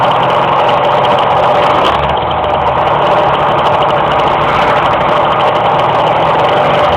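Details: Engine struggling to climb in revs while driving: a steady drone with revs barely rising and no clean pull as load comes on; engine hesitation under acceleration, cause unknown.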